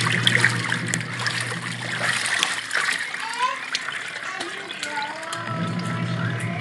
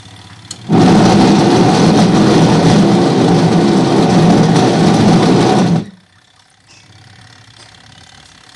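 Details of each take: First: Washing machine that was very noisy and barely spinning, after gearcase pulley repair, tested with water: steady low motor hum under sloshing water, no knocking or grinding; agitates smoothly and washes strongly now. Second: Top-load washing machine that is very noisy and barely spins: loud rough grinding roar that stops and starts; suspected worn, loose gearcase, not confirmed.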